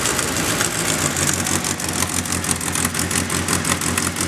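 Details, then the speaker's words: 2nd-gen Mitsubishi Eclipse, crashed around Christmas, freshly started after repairs: idle with a sharp rapid puffing tick over the exhaust note. A big exhaust leak is heard, and white smoke is seen. "got a big exhaust lean let it run though that's good"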